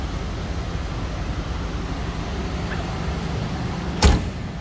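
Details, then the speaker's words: 1979 Ford Thunderbird, 302 V8, cold start with choke on: steady, slightly raised idle with even low rumble and no misses; normal cold-start fast idle. "Chokes on, so we got a little higher idle than normal. I'll kick that down here in a second."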